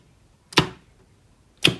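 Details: Star/delta forward/reverse motor starter on an FX5U PLC, relay outputs bridged by hand to test the contactors: two crisp single clacks about a second apart as forward and reverse contactors pull in cleanly with no buzz or chatter; normal.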